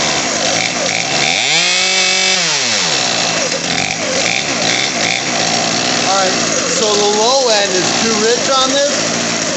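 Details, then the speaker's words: Craftsman 18in 40cc chainsaw (358.350810), new HIPA carburetor, idle screw raised, started full choke then choke off; pitch swells and sags, burbles and hunts at low speed; low-speed mixture too rich. "full choke choke off oh I got her too rich"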